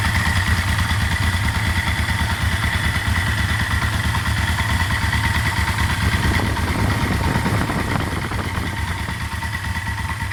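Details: Yamaha Vmax fully warmed up at idle, oil at temperature (oil pressure about 50 cold, under 20 warming), camera moved toward the side where the noise is: loose, regular clatter about two beats a second; knock when warm, owner suspects oil pressure, source unknown.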